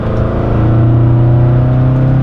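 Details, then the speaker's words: 1972 BMW 2002tii Alpina A4 tribute, accelerating on the highway: a strong, even low growl climbing cleanly with speed, no misfires or hesitation; it pulls well with good power. "got good power sounds good"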